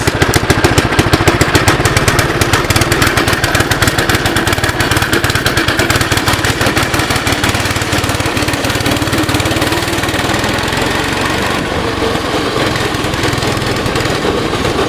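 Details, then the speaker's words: 2006 Baja Warrior single-cylinder, cold start after unloading, choke off, low mileage: popping at a fast, slightly uneven idle with wind hiss; runs a little rich, carb rebuild or replacement planned. "yeah she's definitely running a little Rich there worst comes the worse throw a $25 carb on"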